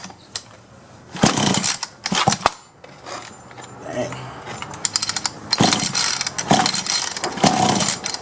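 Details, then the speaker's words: Solo 643IP chainsaw pull-started with half choke and primer bulb pumped: repeated pull-cord bursts with a few weak pops, never catches or keeps running. Owner suspects worn piston ring/low compression, unconfirmed. "it's trying so I think it's getting gas but even when I put gas directly into it that's like it tried for a couple of times but that was it so I think it needs a piston ring"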